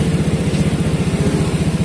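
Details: Honda Beat scooter with error code 52 and stator wiring trouble, idle raised after it kept stalling: a quick, even putter at a slightly high idle, steady with no misses or knocks; idling healthily.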